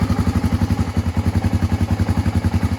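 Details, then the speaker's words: 1986 Honda ATC350X single-cylinder three-wheeler just after kick start: slow, loping thump at about eleven beats a second, even but lazy; owner thinks the idle is a little low. "Lights work. I think the idle's a little bit low."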